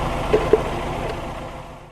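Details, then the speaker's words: Old VW Polo 1.4 L petrol, running: short, even engine note fading steadily with no stumble or missed beats; normal clean idle. "Bon, c'est bizarre, mais j'aime bien entendre cette mélodie-là. Je vais voir ça, je vais écouter ça. Ah, tu chantes bien, toi, hein?"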